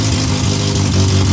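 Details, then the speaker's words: AWD Honda CRX engine with performance cams, started up after the break-in oil discussion: deep loping, choppy idle over a steady low rumble; a normal healthy idle for aggressive cams. "I personally am in love with the cams and in love with the idle of it. And I'm sure that you guys like the sound of it too."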